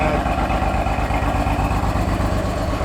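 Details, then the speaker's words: Car on a cold start with no engine light on: the idle is uneven and lumpy with a pulsing low beat and shaking. Rough idle, cause unknown. "idle's really bad. It's on cold start. And it's shaky. Shaking right now, guys."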